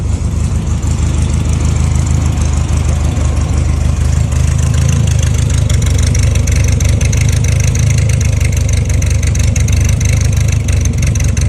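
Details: 1957 Porsche 356 Speedster widebody replica, air-cooled carbureted engine, cold start: even steady idle picks up cleanly on revs and settles back; healthy normal running.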